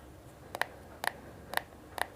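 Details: LG Wing swivel screen. Sharp little creaks roughly twice a second, each with a bright ring, from metal parts rubbing in the screen gap. The noise stops when the gap is packed, and the gap is needed for swivel movement.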